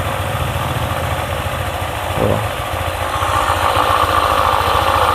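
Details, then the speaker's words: Honda ADV 150 scooter at idle, CVT reassembled with one bolt as a test: rubbing, moaning tone over the engine beat, changing or disappearing when the cover bolt is loosened; worn bearing in the CVT confirmed as the source of the clicking and rattling. "Mesin menyala. Oke. Ya, sudah pasti bantalan (bearing) itulah yang aus."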